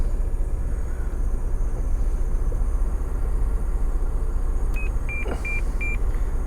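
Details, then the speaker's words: Holden VE Commodore police special, 140,000 km, limp mode and electrical problems, battery had been flat: over a steady engine rumble the head unit gives four short high beeps and shows "mechanism error"; cause unknown. "it just beeps at me and says mechanism error I have no idea what that is"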